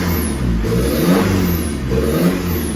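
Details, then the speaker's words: 2012 Ford Ranger 2.5 diesel (Mazda engine), after injector repair for misfire and smoke: revs rise and fall with a loud raw open roar because exhaust was deliberately disconnected to check the turbo spins freely, not an engine fault. "now that noise I did disconnect the exhaust make sure we had a turbo free and able to rotate and our turn so that noise is because of me creating problems there"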